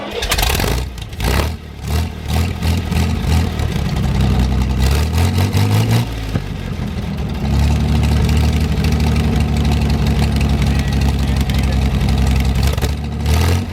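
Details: 1973 GMC 432 cu in V6 out of a parted truck, first run after about 5 years sitting, fuel fed from a can: cranks, catches, revs and settles to an even idle with no knocks or misses; a little smoke at startup that cleared once warm; normal running.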